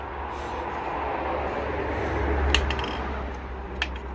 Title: BMW B47 Engine 318D GT Bottom End Failure Spun Bearing